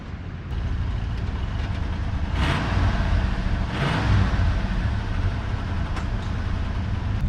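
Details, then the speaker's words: 302 V8 truck, carburetor tuned and throttle return spring fitted so the throttle snaps back: deep, even idle holding steady with no hanging revs, some outside noise; normal idle. "now it snaps back pretty good there's no hanging revs and now she's dialed"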